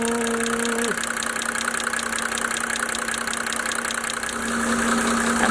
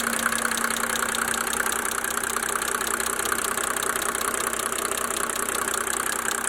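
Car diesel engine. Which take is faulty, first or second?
first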